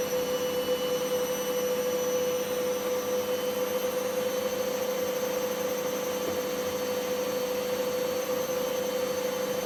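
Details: Candy GVS169D3/1-80 Grand O Vita 9kg washer, after motor-controller triac replacement fixing error E09: steady high motor whine over smooth drum rush at top speed, no knocks or rattles; normal spin.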